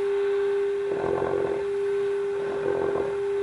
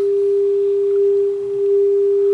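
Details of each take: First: 1930s Philco 112-B radio after electronic restoration, during alignment at the 1400 kHz high-frequency compensation adjustment. A constant mid-pitch whistle with crackly bursts: the receiver is oscillating and very touchy; cause not pinned down. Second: 1930s Philco 112-B radio after electronic restoration, alignment at 600 kc with generator's 400 Hz modulation: clear, steady tone without hum or crackle, set aligned and receiving well.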